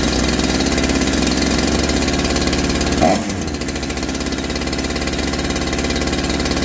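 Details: Holzfforma G372 chainsaw (Farmertec clone), first start after crankshaft seal replacement for a factory air leak that kept it from tuning, chain off, choke off: steady fast idle with crisp even beat, dipping briefly then settling smooth, unlike the erratic running before.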